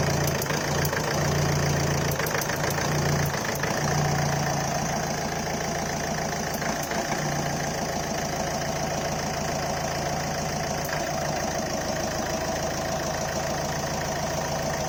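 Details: Ford Figo 1.4 TDCi Duratorq diesel at idle: cold-engine static ticking over the clatter with occasional misfire stumble, vanishing once at normal temperature; also hiccups under heavy acceleration, no smoke; cause unknown.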